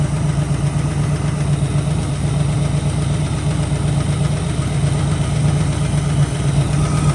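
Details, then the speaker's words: 1965 Ford Mustang project car with a freshly rebuilt carburetor and old oil: deep, steady idle with an even low beat and no knocks or misses; runs decent, normal idle, though a slight tap earlier was suspected to be a lifter. "All right. Well, we've got it running. Sounds like it runs pretty decent."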